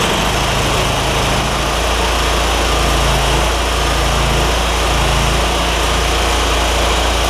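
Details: John Deere ZTrak Z915E Kohler V-twin, sat 2 years, jump-started with carb spray: cranks, catches and settles into a steady, evenly firing run; oak leaves hitting the cooling fan. Normal start and run.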